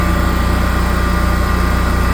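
Smooth, even low drone with a fast, steady pulse and no surging or misfire; the standby set is running normally.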